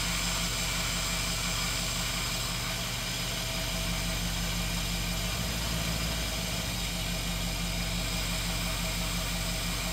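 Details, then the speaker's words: V8 idling on fast idle with enlarged idle air port in a 92 mm throttle body and a Dodge 5.9 IAC fitted, no air cleaner: steady softer airy hiss of air rushing past the idle air valve, whistle gone. "the noise is way quieter at least it's bearable and I've run it without an air cleaner right now once I get the intake on with an air cleaner it'll probably be a little bit quieter"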